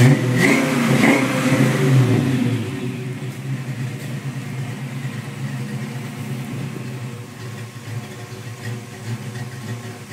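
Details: 1987 Mustang V8 with BBK equal-length shorty headers, 2.5-inch H-pipe without cats, two-chamber exhaust: brief rev then smooth deep idle, no exhaust leak after notching crossmember and seating header flanges; hidden PCV vacuum leak remains.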